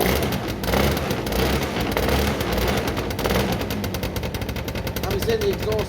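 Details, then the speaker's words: Derbi 100cc two-stroke after carb clean, airbox refitted, fresh premix fuel, choke left on: uneven, stumbling chatter with loose popping, no steady beat; rough running from over-rich mixture, spark plug very wet and dark (fouled). "i think i left the choke on this one so now it would be over so chug should be off now even though it sees all right guys clean the spark plug it was very wet and dark"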